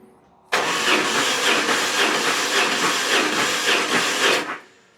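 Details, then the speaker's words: BMW GS motorcycle, around 1,500 miles since a questionable service, before valve clearance adjustment and chain tensioner work: about four seconds of slightly uneven cranking, about four beats a second, sounding offbeat, like low compression, especially the right-hand cylinder. "So hopefully you heard what sounds like it's slightly offbeat with compression."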